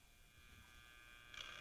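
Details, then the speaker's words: All American Five tube radio: faint, steady mains hum with no station audio behind it; a dried-out filter capacitor lets supply ripple through, checked by bridging a good capacitor across the filter capacitor. "capacitors are bad and uh the way way we checked this into TV shop years ago we just bridged a good capacitor across the filter capacitor and that would um uh if it if that was a problem it would uh take away the home"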